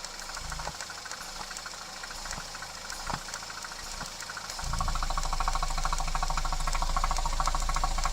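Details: 2010 Citroen C4 Picasso I 1.6 THP 150 turbo petrol (EP6DT): steady light knock about three per second at idle, then revved and held; engine knocking, source not pinned down.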